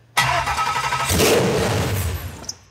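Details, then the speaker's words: Junkyard Ford SVT Lightning engine with an aftermarket supercharger, run on a pallet with little connected: catches with a sharp roar, runs rough and dies within two seconds because the throttle was sticking. "oh this was sticking for some reason huh okay try it again"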